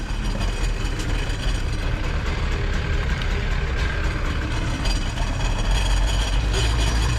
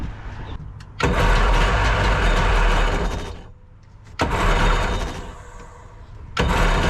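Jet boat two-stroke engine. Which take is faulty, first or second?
second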